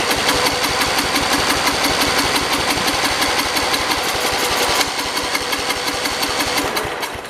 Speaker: so it is running there's no doubt about that the engine is running um it's not pulling up gas i'm noticing